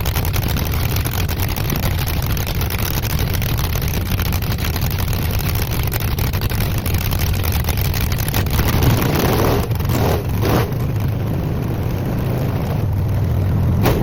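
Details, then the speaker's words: Engine whose coolant froze over winter, pushing out a core plug, on its second start with ignition timing not yet set: low heavy rumble that runs rough. "I didn't see any like plumes of white smoke or anything, or steam, I guess I would say, coming out the headers. But It wasn't pretty, but it started."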